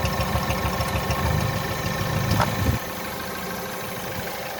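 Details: 1.6 THP direct-injection petrol engine (Peugeot/Citroen/Mini) smoking blue oil smoke with high crankcase pressure blowing oil past the valve cover; uneven, lumpy idle that skips regularly: a dead cylinder misfiring.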